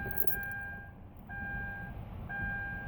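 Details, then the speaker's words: 2013 Kia Rio that cranked but wouldn't start, now won't crank: engine silent, thin steady whine switching on and off about every second as the in-tank fuel pump cycles, rpm gauge jumping; fuel pump cycling, no start. "now it's doing this and you hear the fuel pump cycling to me"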